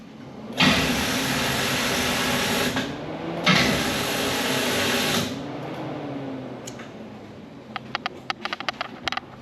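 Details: 1985 Chevy C10 with a 454 big block and low starter voltage: after refitting the alternator to rule out ripple voltage, two sluggish two-second cranks without catching. Slow crank persists; cause not yet found.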